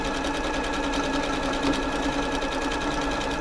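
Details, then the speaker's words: Janome Atelier 6 sewing machine after servicing and lubrication, running a wide stretch stitch: an even, fast stitching chatter with a steady hum. The earlier slight noise is gone and it runs smoothly. "that slight noise is gone now so the uh the lubrication obviously worked its way into it that's nice"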